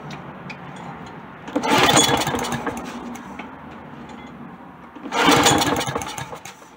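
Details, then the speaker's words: Found lawn mower, primed and on low choke: two pull-starts each fire and sputter about a second, then die. Starts then stalls; dirty carburetor, needs a thorough cleaning. "still die so now i have to take the carb off and do a thorough cleaning of the"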